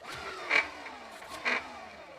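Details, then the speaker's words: 1987 Gazelle bicycle with Sturmey Archer 5-speed hub and repaired Basta dynamo: a short scraping rasp about once per wheel turn as the dynamo drive wheel, set too close, rubs the fender. It was later readjusted. "Looks like the drive wheel is a bit too close to the fender. I need to re-adjust the dynamo a bit"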